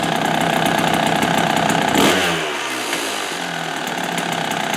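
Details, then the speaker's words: 1997 Kawasaki KDX220 two-stroke trail bike: buzzy idle with a light slapping rattle, a quick throttle blip, then back to the rattle; the characteristic KDX idle rattle that sounds like piston slap, believed due to looser engine clearance; normal. "Oh yeah, and these engines, they kind of have that KDX rattle at idle rpm. So, yeah, listen closely when it's idling, it's kind of It kind of sounds like the piston is slapping."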